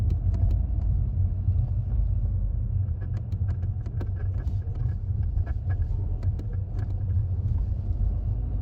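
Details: 2016 Audi TT Mk3, cold, driving on light throttle: low rumble with faint rapid chattering from driver's side, fading when warm; bad transmission mount, gone after OEM transmission and engine mounts replaced.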